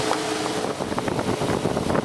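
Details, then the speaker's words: Overheating car, after replacing a blown 30 amp fan fuse: electric radiator fan running with an even whooshing rush of air and faint low hum, cooling the engine normally; fan fuse was the problem. "there's our fan running and cooling that engine down"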